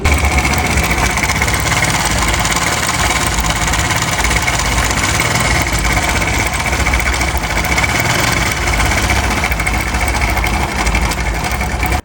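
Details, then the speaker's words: Motorcycle engine at idle with a harsh, steady clatter over it the whole time: slack cam chain from a weak tensioner spring, fixed by fitting a harder tensioner spring. Cam chain tensioner rattle. "तो दोस्तों, आपने देखा आवाज कितनी ज्यादा बुरी है engine की।"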